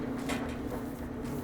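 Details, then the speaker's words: Dryer after replacing worn support rollers and belt to cure scratching: smooth steady drum rumble with even low hum, no scraping or rubbing; tumbling sounds healthy and quiet. "set the timer press it and sounds good spinning good it's smooth there's no scraping"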